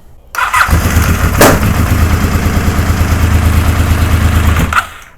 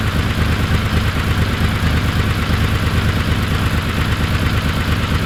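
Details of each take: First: Honda VFR750 after long sitting, low battery, carbs primed, enricher off: slow, labouring cranking about three turns a second for four seconds with no catch; coil trigger and power wires swapped between cylinders one and three. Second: Honda VFR750 V4 on the lift, after backing out the slow (pilot) screws a quarter turn and removing O-rings wrongly fitted there: steady even burble with clean, stumble-free rise in revs; now snaps up crisply on throttle, previously anemic with a lean light-throttle flat spot.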